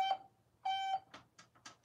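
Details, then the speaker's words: Elevator call button with two switches, one for light and one for chime: two clean, steady mid-pitched beeps about a third of a second each with light tapping; normal call button chime. "we're on some buttons like this one has two switches if I press one side it lights up the the button or the light if I press this side it rings the chime"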